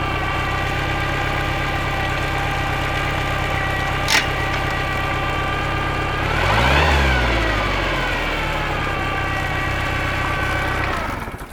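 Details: Bayliner boat engine after a no-start repair, distributor timing found 180 degrees out and corrected: steady, even idle with a brief rev near seven seconds that settles smoothly, no misfire or knock; running normally.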